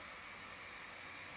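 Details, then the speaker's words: 2020 13-inch MacBook Pro base model, just launching Premiere Pro, not rendering: steady airy rush of very hot air from the underside vent, constant pitch; cooling fan running hard under light load. "지금 굉장히 뜨거운 바람이 나오고 있습니다. 아니 내가 영상 렌더링을 돌린 것도 아니고 그냥 프리미어 프로를 시작하려고 했을 뿐인데"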